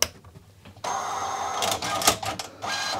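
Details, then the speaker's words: 1980s Commodore MPS 1500C color dot-matrix printer, functionally tested after cleaning and lubrication, before the case goes back on: short whirring carriage and head motor bursts with light clicks; LEDs lit and buttons work. Normal power-on. "yeah it does and the leds are lit buttons work yes okay then i'm happy"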